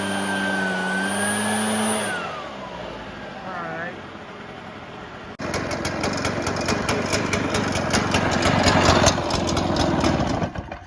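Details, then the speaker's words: Cheap used Shindaiwa two-stroke backpack blower (broken kill switch wire), also smoking: catches and runs fast with thin high whine over buzzy exhaust; high-pitched whine, cause unclear. "it's making like a high pitched whining sound and it's fogging out"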